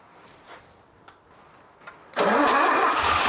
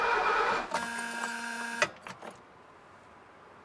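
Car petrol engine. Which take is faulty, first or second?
second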